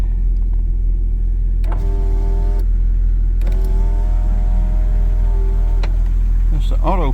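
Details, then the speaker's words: 1997 Jeep Cherokee XJ at about 300,000 miles, engine running, power window with new switch fitted: window motor whines about a second, then two seconds, stopping cleanly; slightly slower than the other window but working normally. "okay well it seems to be working fine it's a little slower than the other one but uh maybe it may speed up it may not"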